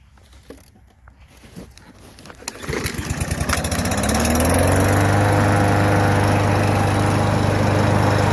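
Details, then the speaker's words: Free Husqvarna 5521P 550ex 140cc push mower with low oil, restarted: pulls over and climbs to a steady high drone of about three and a half beats a second. Owner thinks it sounds slightly different, perhaps tapping, cause unclear. "sounds like a little tap it noise going on but i don't know"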